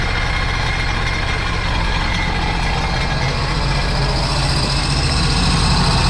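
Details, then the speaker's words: Supercharged 2009 Sea-Doo GTX 215 jet ski bought with a locked-up motor, run on the hose after revival: loud, busy running with an uneven stumble about four per second. Cylinder 3 misfire from a cracked ignition coil. "All right. So, it runs, but as you guys can tell, I'm misfiring cylinder 3. Oh, well, I guess that was a bad coil."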